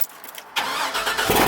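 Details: 2005 Chevy Silverado 2500HD 6.0L V8, which had multiple misfire codes, started after new spark plugs: a brief crank, then an even idle with no stumble, and the check engine light not blinking.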